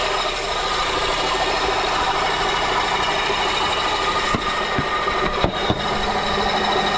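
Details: Honda K24 at idle: a steady harsh grinding with a few sharp clicks, first thought to be top end. The noise stopped with the belt removed, and spinning the pulleys pinned it on a failing AC compressor.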